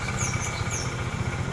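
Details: Yamaha Xeon scooter that died suddenly from lost compression, with backfires and smoke, now idling with an even small-single putter after valve clearance was set to 0.10–0.15; no misses or tapping.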